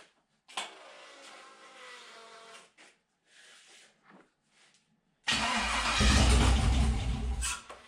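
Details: '72 Toyota FJ40 Land Cruiser with a swapped 4.8L LS V8, first start after fixing injectors so all eight fire, on a weakening jumper pack: several quiet seconds, then it catches into a deep, steady rumble. A clean start.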